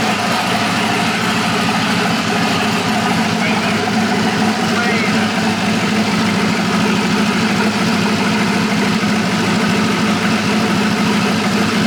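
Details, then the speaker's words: Polaris RZR with a swapped-in Yamaha Nytro snowmobile triple-cylinder engine, running after its fuel issue was sorted; more sensors still to be added. Steady, even idle with no misses, knocks or surging; normal idle. "All right, so the unit runs finally. Kind of figured out our fuel issue"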